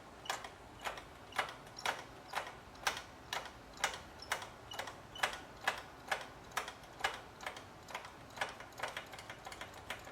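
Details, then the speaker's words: Honda CBX motorcycle, rear brake caliper rebuild: hose on the bleeder, the pedal is pumped to dump all the fluid out, and sharp regular clicks about twice a second show the system now sucking air in. "So, if we just keep pumping the pedal, it will dump all the fluid out. You can hear we're sucking air in this now."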